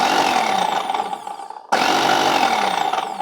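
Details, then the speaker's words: Sunbeam food processor, all-plastic, picked up as e-waste: steady mid-pitched motor hum with a gritty, uneven edge that cuts out briefly and restarts; it works but sounds noisy, possibly normal for it, cause unclear. "okay it does work it just sounds a little"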